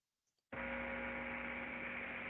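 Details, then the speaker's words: Gear reducer heard through ultrasound before the defect developed: steady, even, smooth hiss with no knocks, crackle or surging; with no friction, impact or turbulence the ultrasound values stay near zero, normal running. "os valores de ultrassom quando você não tem nem flexão nem impacto em turbulência ele se aproxima o mesmo de valores quase de 0 diferente da vibração"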